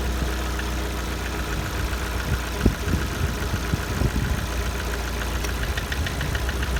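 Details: Lada Kalina 1.4 at 70°C coolant temperature: idle with irregular dull knocks through a steady hum. The cause of the engine knock is unknown; the owner wonders whether it needs an overhaul.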